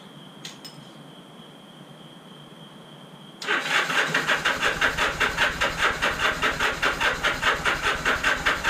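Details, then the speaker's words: Motorcycle unrun for about 30–35 years, after battery charge, fresh oil, new spark plugs and filed points: catches at about three seconds and settles into a steady popping twin idle; normal first start. "Sweet. So she runs. That's really awesome. That is a really good sign."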